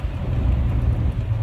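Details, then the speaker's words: 1967 AMC Rambler American 199 ci inline six, road test after replacing cracked phenolic carburetor spacer that caused a vacuum leak: deep steady even drone under light road load, no off-idle bog; runs normally. "yeah yeah but i mean it's a hundred times better than it was no off idle bog listen to it"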